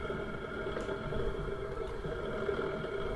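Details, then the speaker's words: Hotel-room air conditioning unit in Munich running with a steady fan hum and a soft, irregular bubbling churn underneath. The unit is gurgling noisily; cause unclear. "Can you hear that gurgling? Listen again. I'm in a fantastic hotel room with a fantastically noisy air conditioning unit."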